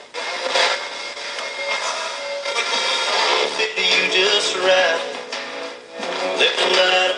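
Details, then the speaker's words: Old AM/FM clock radio with a dirty volume potentiometer: thin music crackles and briefly drops out as the scratchy volume control is turned, volume returns when jiggled; cleaning the controls is the fix. "the volume controls are a little scratchy and and every once in a while it'll do something like that like where' your FM radio go you lost all your volume"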